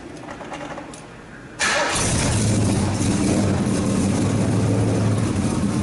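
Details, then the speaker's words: 1970 Ford Mustang Mach 1 V8 with a rebuilt engine, run after sitting many years on new plugs, heard near the quarter panel: cranks, catches, then a lumpy burble; the carburetor needs a rebuild and it runs very rich. "Carburetor needs to be rebuilt. I'm not going to run it any longer because it actually stinks. It's running rich as hell."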